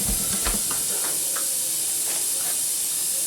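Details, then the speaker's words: Tire with a screw in the tread, before plugging: thin steady hiss of escaping air with a few handling clicks, bubbles popping; puncture leak bigger than expected, repaired with a plug kit. "Yeah, can you hear it? It's definitely an issue. Yeah, now you can see it popping. It's definitely leaking. It's a bigger hole than I expected. Or it's a bigger leak than I expected."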